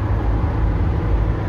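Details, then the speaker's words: Budget OBS truck build at highway speed inside cab after new carpet install: steady low roar, no knocks or whine, about ten times quieter than before but still noisy, coming from the doors rather than floor; cabin road noise. "totally tell. 10 times better. It's still noisy. Still 10 times better. But you can hear it coming from the doors, actually, and not the floor."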